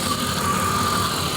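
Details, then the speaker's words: Engine idling near operating temperature after new radiator, with water pump back on and reused bypass hose: steady even hum with faint constant whine, no knocks or misses; runs a lot smoother, heater still blowing not warm. "Go ahead and we'll get out here. Thing sounds a lot smoother."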